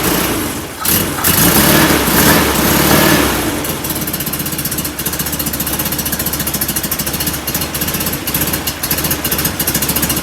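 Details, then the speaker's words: Performance VW air-cooled engine, reinstalled after a pushrod tube oil leak and distributor removal: fires up with a few loud revs, then a regular, fairly even idle of about four pulses a second; no oil leaking. "it's a runner again no oil under it this time that's good that's a good sign"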